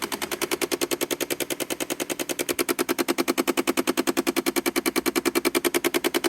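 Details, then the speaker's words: Car parked with the engine off and lights on: sharp, even clicks about three per second from inside the dash. The cause was a faulty door lock actuator, which was replaced and resolved the noise. "You hear it's a repeating rhythm. It's got to be mechanical because it's repeating at a steady rate."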